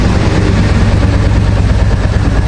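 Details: 2023 Royal Enfield Bullet 350 Military Black (BS6) single: heavy, deep rumbling thump running steadily, rougher and louder down low than it should be; owner's bike with engine noise after repeated service visits.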